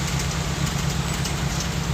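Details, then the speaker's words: Toyota Corolla Twincam liftback gen 2 at idle, engine and exhaust: smooth even idle, steady low exhaust note, no popping or misses; stable idle. "kita dengar suara mesinnya juga dengar knalpotnya nggak ada letupan atau kadang-kadang adat nggak ini stasionernya stabil oke"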